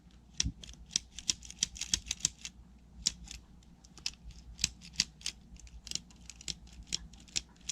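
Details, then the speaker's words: WPL C14 RC truck rear shock absorber worked by hand: sharp, dry clicks in irregular bursts as the suspension is pushed; the rear shock is clicking and does not sound good. "It's just really clicky and does not sound good."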